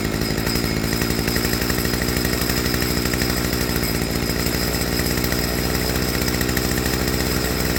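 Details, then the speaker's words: Stihl FS55R trimmer after a HIPA carburetor swap, with the low-speed screw turned in until the idle is smooth: a fast, even two-stroke buzz holds steady with no surging or stumbling. "So, I want to turn back in easy, just until that idle picks up nice and smooth."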